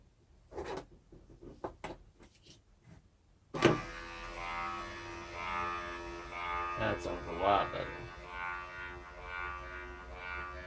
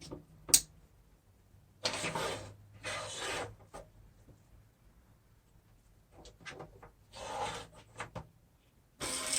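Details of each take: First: Junkyard 2011 Acura TSX window regulator, bench-tested after cleaning, unlocking the seized motor and regreasing: clicks, then a steady even motor hum with no grinding or labouring. Window motor runs normally after repair. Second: 2012 Acura TSX power window motor and regulator, bench-tested after cleaning: hissy rasping runs then a thin high squeal; gearbox needs more grease, dirt and water harden grease and lock it up.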